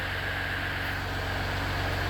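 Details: 2019 Ram 3.0 EcoDiesel just after oil, air, fuel and cabin filter change and fuel system priming, oil pressure still low at first start: steady even diesel idle with a regular low pulse, no knocks or misses; normal idle.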